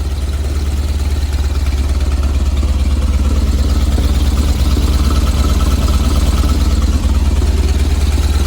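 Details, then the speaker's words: 1970 VW bus with dual 34 carbs and a CSP bell crank linkage, after warming up during carb sync: steady, fast, low chugging idle, even and quick rather than a lazy lope, sitting too high, so the idle screws are about to be backed off. "okay so after it's warming up it sounds like it's idled a little too high to me"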